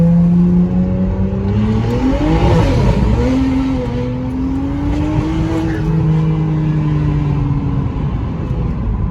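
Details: BMW 335i N54 engine rumbling and revving unevenly, its beat stumbling and wavering instead of staying steady: a rolling misfire.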